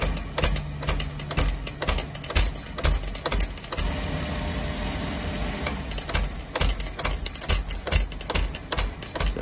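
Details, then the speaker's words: Beckett oil burner on a furnace, just after an oil delivery, with a 1.0 gph 80° B nozzle. Burner roar cuts in and out as the relay in the primary control clicks: short cycling diagnosed as a faulty primary control. "when every time the flame is kicking on on off on off you can hear actually the contactor inside of the primary kicking in and out the electrical switch inside um which is telling me pretty much your primary is bad"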